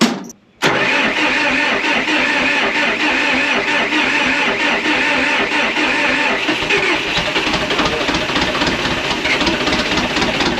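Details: Early-80s International TD8E bulldozer, four-cylinder turbo diesel, first start in a long time in cold-start position with ether, injector lines cracked to bleed: rough steady clatter for about ten seconds without settling cleanly; hard starting.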